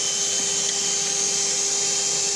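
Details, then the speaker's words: Vacuum-driven 1950s RAF Jet Provost artificial horizon (attitude indicator), test after rebuild and fixing weight distribution: steady high gyro whine with a faint rough rolling undertone. Worn rotor bearing with missing balls. "now i've fixed the weight distribution problem but i've got a bearing problem so i suspect we're not going to be in much more success but let's give it a go anyway"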